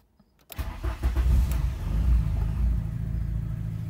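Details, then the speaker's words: Car started: quick start, then a brief flare settling into a low, steady idle below 900 rpm with no hunting or misses; the idle is stable. "beleza tá estável né ó tá estável Olá abaixo dos 900"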